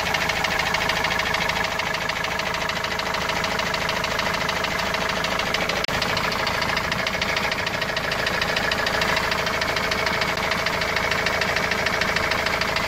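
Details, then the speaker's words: Opel Vivaro 2.5 diesel, noise appeared suddenly while driving loaded with goods about two to three weeks ago, then parked: hard hammer-like knock about three per second over the idle; owner can't locate the source. "وهذا الصوت ما عم نعرف منين الصراحة، صوت مثل المطرقة يعني."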